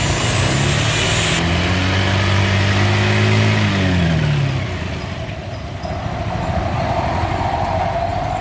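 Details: Honda Beat scooter after replacing CVT final gearbox gears worn from running dry of gear oil (leaking axle seal): revs up, holds, drops back to smooth even drone, no grinding or knocking.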